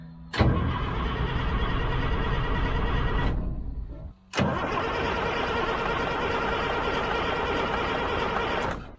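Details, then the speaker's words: Old diesel 6x6 deuce-and-a-half army truck, first start attempt: two long bursts of steady starter cranking with no firing; cranks but won't start, fuel starvation from a badly clogged fuel line. "this fuel line is actually clogged big time so I'm going to take something and clean that out"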